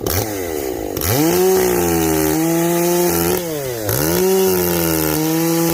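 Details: Echo CS-590 chainsaw after a carb mod with limiter caps removed for full adjustment, high jet richened a full turn and low jet turned up, exhaust opened up; crisp two-stroke revving up and down cleanly, steady in the cut with no bogging; not running hot.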